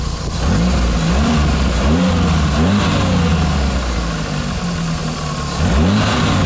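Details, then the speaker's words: After diesel-fuel flush to cure hydraulic lifter tapping: engine idles with throttle blips, even firing, no top-end tapping; lifter sound seems gone, though owner says it needs proper driving to confirm. "вроде бы звук пропал гидрика но опять же надо поездить хорошенько нами слушать"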